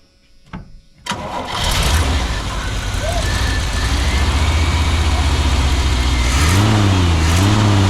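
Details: 1986 square-body truck parked nearly 20 years, first start after the fuel return line was re-plumbed with a T fitting and vacuum plug. Cranks, catches after a second, then settles into a steady even idle with one blip, no stalling.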